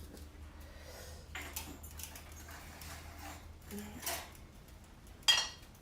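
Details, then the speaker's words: Hot glazed pottery mugs just unloaded from a large kiln give faint sharp high pings and tinkles in a quiet room as the glaze crazes, cracking slightly while cooling. "you hear the pinging means they're hot and they're cracking slightly really"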